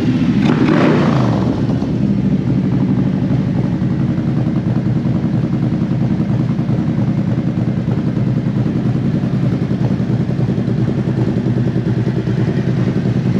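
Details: Used 2018 Harley-Davidson CVO Road Glide inspected before purchase: even lumpy V-twin idle around 1000 rpm, no knocks or ticks from the motor; engine sounds healthy.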